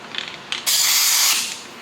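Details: Ford 4R100 transmission bench air check of a clutch apply: short hiss then loud steady rush about half a second as the clutch strokes and holds, no leak; normal apply.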